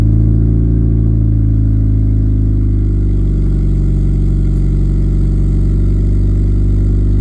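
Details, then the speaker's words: 1989 Honda Civic EF sedan driving after the new exhaust was fitted with gaskets and hangers; low, smooth hum rising with speed, not loud and no drone or rasp; normal exhaust note after repair. "We're gonna go get some coffee and see what this exhaust sounds like. It's really not that loud."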